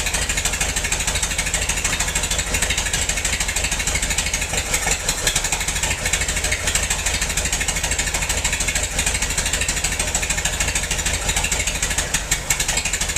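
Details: Massey-Harris 44 tractor stored 10 years in a semi trailer, with burned points replaced: rough, lumpy idle with an uneven beat of about three pulses a second as cylinders 2 and 3 misfire; owner suspects stuck valves, plugs or wires; a stuck intake valve was found.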